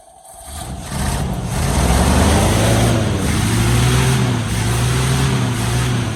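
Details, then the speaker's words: 1973 Chevy K5 Blazer, 350 V8, 4-speed manual, first start after about 30 years sitting, rat debris packed in exhaust: engine catches and runs lumpy and uneven under a harsh drone; rough running, coolant keeps disappearing, cause unconfirmed. "And when we were kind of started earlier, it kind of sounds like it was full of junk. So, let's Oh, that don't sound great."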